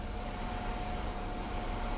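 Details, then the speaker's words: Garage forced-ventilation fan that switches on automatically with the lights: steady low hum with a faint even whine, constant pitch, no rubbing or ticking; running normally. "она принудительная, видите, вот один вентилятор, он авто, он подсоединён к электрике и при включании света, вот, слышите, гудит."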